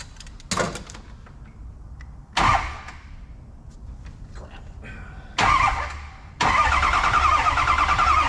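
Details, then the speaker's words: 6.0 Powerstroke diesel with no muffler, cranked after an injector refit with hydro-lock concern: starter bumped in short bursts, then even cranking slowing on compression, not speeding up, so no valve-seal issue; normal cranking. "okay the sound I'm hearing there is uh you know compressing fuel you know that little it's it's not actually speeding up it's slowing down so I'm not worried about that this thing sounds great"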